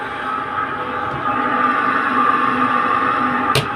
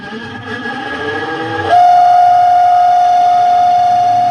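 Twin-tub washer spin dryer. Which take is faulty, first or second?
second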